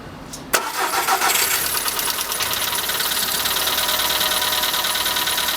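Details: Skoda Fabia on morning cold start: engine catches, then fast, fairly even light top-end ticking over idle; owner suspects hydraulic lifters, but dealer replaced all 16 in three visits and the morning noise persists; cause unconfirmed.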